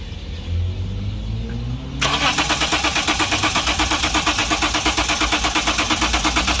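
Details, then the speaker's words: 2011 Lexus IS300 crank no start, fuel pressure gauge connected: even starter churning about three beats a second with no firing; fuel gauge shows petrol but no fuel pressure at all reaching the engine. "Pressure बिल्कुल नहीं आ रहा है हुआ है कि शैल का pressure बिल्कुल ही"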